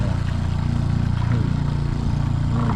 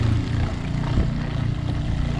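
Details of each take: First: Shurflo RV water pump, pressure switch adjusted by turning screw: steady low pulsing hum about three beats a second continuing with no tap open; switch misadjusted causing run-on. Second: Shurflo RV water pump after its adjustment screws were adjusted: a steady low droning hum with no stutter or cycling. The pump starts promptly and runs evenly.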